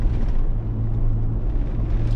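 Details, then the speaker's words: Chevy Tahoe driving off the gas after front differential rebuild: steady low whir changing with speed under road rumble, no quieter or louder than before; the worn front wheel hub bearing, not the diff. "same kind of whirring changes with speed noise that was doing before it's absolutely no quieter and absolutely not louder it's literally exactly the same"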